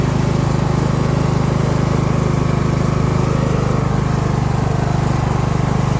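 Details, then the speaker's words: Craftsman LT1000 mower single-cylinder engine: steady, fairly low-pitched putter with no rise, burning off oil and likely water; owner believes it runs about 2000-2500 rpm instead of rated 3500, about 1000 rpm slow, cause unconfirmed. "so if you can hear it i don't believe the engine is running at the highest rpm if it's supposed to run at like 3 500 it's probably running around 2 000 2500 that is 1000 r"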